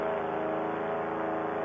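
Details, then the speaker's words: Air Conception Tornado 280 paramotor two-stroke, rebuilt after recall piston failure, in climbing flight held under 6000 rpm: smooth, even buzzing drone, no misses or knocks; normal running, mixture to be richened for safety. "but the flight went great engine sounds good we're gonna rich end up a little bit make it a little bit safer to fly for now"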